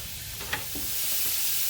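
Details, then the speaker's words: Split 1/2-inch copper 90° fitting at 110 PSI with failed pressure reducing valve: loud steady hissing rush like a river, water spraying hard from the fitting. "Do you hear that? All I can tell you is that doesn't sound good. Wow. It's even louder over here. Holy mackerel. That is super loud, dude. That sounds like a river."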